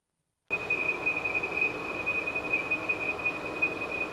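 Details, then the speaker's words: 2013 Volvo XC90 3.2L at idle: steady piercing high-pitched whistle near 2.5 kHz over soft engine idle from a failed PCV valve oil trap cover. "2013 Volvo XC90 that's making a whistling sound. It's very high-pitched and very annoying to listen to."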